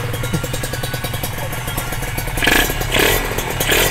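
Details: Kawasaki ZX150 two-stroke first start, power valve just fitted, exhaust not yet installed, no coolant yet: crisp, rapid open popping, firing evenly through quick blips; the engine revs freely and sounds light, normal running.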